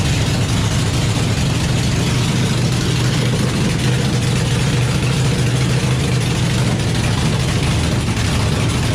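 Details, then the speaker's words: Chevy small-block V8 built for nitrous, on its first-ever start while cold: a deep V8 rumble with a slight uneven lope at idle. It almost dies when given throttle and needs carb tuning; oil pressure is good. "it definitely needs some carb tuning but yeah it's tuned i mean hell it's the first time it's run so man it sounds good though"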